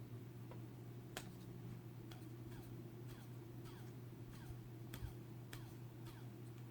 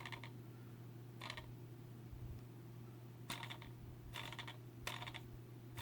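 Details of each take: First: Racerstar BR2206 2300KV brushless motor held close to the microphone: quiet, steady low hum with no grinding or bearing roughness, the smoothest of four motors, one of which has a shot bearing. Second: Racerstar BR2206 2300KV brushless motor spun by hand near the microphone; short gritty rattling bursts from a worn, rough bearing, one of four motors with bad bearings, while the others spin smooth.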